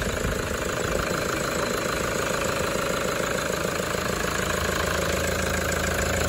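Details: Toyota 1KD-FTV D4D diesel idling cold, injectors done the day before: a rough, steady rattle or knock about three per second. It ran fine for 20 km, then began rattling, cycling about 10 s on and off. It later fixed itself; the owner suspects water.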